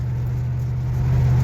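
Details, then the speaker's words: 1976 Chevelle Malibu, newly installed Turbo 350 automatic, cruising at 55 mph in third: steady even engine drone, no slipping flare, clunks or whine; transmission pulls cleanly, normal cruise after replacement. "yes we are going 55 third"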